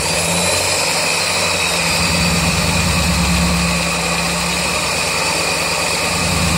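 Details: 1999 Mazda Miata after track sessions: idle tapping about four per second that gets louder as revs come back down, loudest above #4 spark plug; unchanged after valve lash set to spec and oil change; engine ticking, all four cylinders running.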